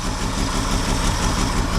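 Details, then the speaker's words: 1968 GMC pickup six, unlicensed since 1997, first fire-up after sitting; fouled spark plugs, later replaced with new cap and rotor, possible sticky valves; uneven lumpy idle with irregular low thump; misfire from fouled spark plugs. "well there we have it guys the old 68 pickup she did fire up finally and she wasn't running all that good so we did go in I'll show you we did throw a new camp and roor at it and thre four spark plugs they were followed all after trying to start it"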